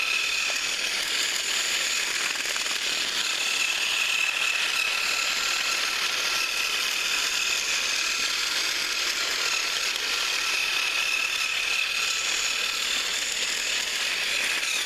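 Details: Thrift-store HiT Toys TrackMaster Percy after cleaning and repair, pulling two freight cars around the loop: constant high-pitched whir with fine gear clatter, holding steady under load. Normal running.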